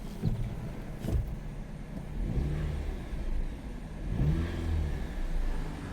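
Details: Towed-in manual Jeep Patriot that won't move, in reverse with parking brake off as the clutch is released: engine revs rise and fall under load with no drive. Gears can be felt; burnt, slipping clutch that transmits no power.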